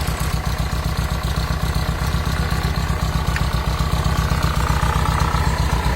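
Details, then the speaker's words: VW Combi with Type 3 air-cooled petrol engine idling: steady regular knock about four beats a second, first suspected as fan rubbing or loose but fan tight; internal engine fault, quieter when revved. "es donde ya nos atrevemos a decirle a cliente que es interno porque nosotros creíamos que la turbina estaba rozando aquí atrás o que estaba floja pero no no está apretadas"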